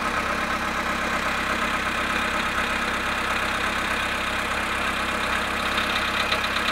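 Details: VW Polo Sedan cold start at -1 °C after sitting 19 hours; idle with fast light ticking about three per second over the engine; engine knock after cold start, cause unclear.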